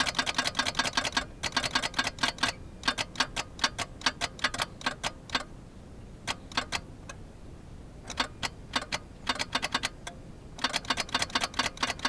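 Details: Geo Metro won't crank on a warm 65°F day, jumped from weak battery packs: bursts of dry rapid ticking with each key turn, engine never turns over; owner fears a bad starter, cause unknown.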